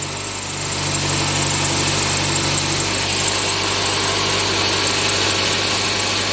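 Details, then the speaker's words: Inspira 2.0 / Mitsubishi Lancer GT petrol engine idling after morning start: steady low drone and buzzing vibration in engine bay; diagnosed as broken engine mount, droning gone after replacement. "So what happens is that whenever it started, when the car is started in the morning, it gives off this weird vibration, this sound. All right. So what I found out is that it's most likely the engine mounting that's broken."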